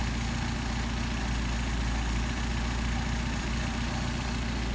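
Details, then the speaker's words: Mercedes 190SL with rebuilt Solex carbs, warm after a hot start: a smooth, even idle at about 750 rpm, matching factory spec, with a steady exhaust beat and no misses or hunting; the carbs are well balanced. "between 750 right around 750 which is what the factory specifies so leaving you with a good idle"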